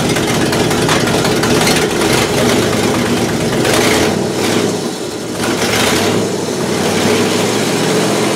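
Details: 1968 Buick LeSabre V8 idling after engine repair, previously abandoned with no oil pressure and leaking head gaskets; valve cover off, oil pressure good, head gaskets holding, temperature stable around 190°; smooth low rumble, small rev dip, no knock, healthy.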